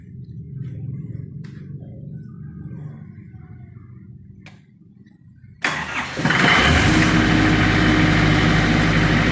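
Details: Denyo 25 kVA diesel generator: a low uneven rumble for several seconds, then it catches abruptly and settles into a loud steady run. Slow, reluctant hard starting.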